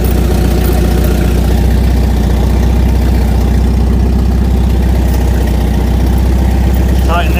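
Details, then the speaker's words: Volvo 740, revived after about 20 years off the road, restarted after tightening the throttle rubber boot: steady low, even idle with a regular firing pulse and no knocks or misses; running smoothly. "Hope this is it cuz it was idling."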